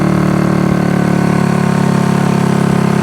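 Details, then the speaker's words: Honda CB200T twin after camshaft and valve replacement, old spark plugs, oil smoking on exhaust wrap: uneven lopsided idle, apparently only left cylinder firing; owner suspects spark, cause not confirmed. "we only on one yeah we're only on one sounds like we're only on the left which we'll get it sorted yeah sounds like we're only on the left"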